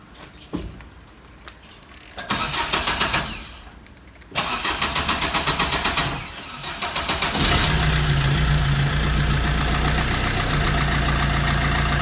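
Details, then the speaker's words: Car (possibly a diesel Swift) not driven for many days: two long spells of steady starter chugging, about four per second, then engine catches and settles into even idle; finally starts after long cranking. "ते गडी जड़ अपनी finally start हो गई हुई है काफी ज्यादा मुक्क बाद"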